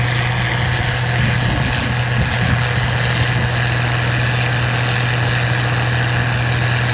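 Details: 1688 combine harvesting wheat in 2020: a steady deep drone under load with a rough mechanical rattle on top. The noise is abnormal and its cause is unidentified.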